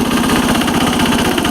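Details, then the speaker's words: 1983 Case 446 repowered with a Lombardini 6LD 435 single-cylinder diesel, high range at full throttle up a steep grade, engine still a little cold: fast, regular beat, no knocking or stumbling; normal running at full throttle. "It's got a lot of low end torque now. I'm in high range, and high range is pretty fast in this tractor, full throttle."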